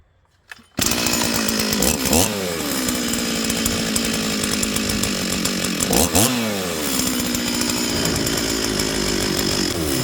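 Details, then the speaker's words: Stihl 044 chainsaw, rebuilt with new intake boot, impulse line, fuel line, filter, crank seals, carburettor and coil, holds a steady even buzz with brief blips after low-jet tweak for weather changes; no stumbling or bogging, running normally. "okay well we'll call that good again rapid weather changes here and uh often you need to tweak your your low Jet"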